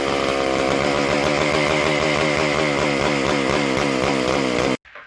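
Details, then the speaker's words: McCulloch Super Pro 125C chainsaw; raspy buzz surges and sags about four times a second, lean hunting; carb spray on intake boot no change, spraying the carb-to-body cork gasket calmed it, confirming the air leak there. "Sprayed around the front, the carb where it meets the body, and that cork gasket, if you remember from the last video, it's leaking right there. It actually calmed down."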